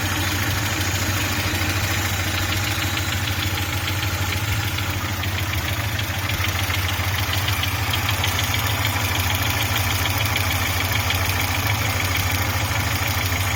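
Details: Audi 80 B3 engine at steady idle with a light rapid tapping, roughly three per second, riding over the engine note; engine knock of unclear cause.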